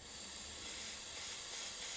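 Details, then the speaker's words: Yamaha engine on a Homelite HG600 generator, carburetor being reassembled: pushing a thumb on the part gives a soft steady airy hiss for about two seconds, air escaping the carb vent; normal, nothing wrong. "i'm actually getting air leaked from somewhere what's going on here that should stop that so it's actually got a vent on it so i can hear it"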